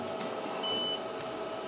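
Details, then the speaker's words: Growatt Infinity 1500 power station fed solar input raised to 111 V, just above its 110 V cutoff. Short high electronic beep over faint fan hiss as it shows an error and stops charging; overvoltage protection. "It beeps with an error message and stops charging."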